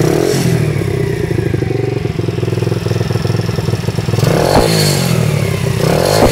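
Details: WPB125 pit bike small single engine running with a fast, uneven clatter and scraping over the exhaust beat, throttle blips, source unclear; owner asking what the engine noise is.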